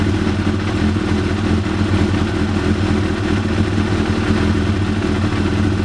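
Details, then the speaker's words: Original 1993 Yamaha YZF750R four-cylinder, previously not running on all four, after replacing a pair of ignition coils and properly seating plug caps; steady even burble, no stumble or missing beat; normal running on all cylinders. "And yeah, I believe it's now running properly as it should, all four cylinders, and should now be ready for me just to put back together and enjoy the bike."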